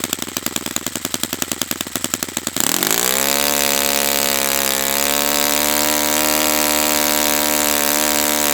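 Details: Brand-new Saito FA-100T twin model engine on test stand during break-in run: starter chatters briefly, engine catches and climbs to a clean, steady high note without surging; running perfectly, normal.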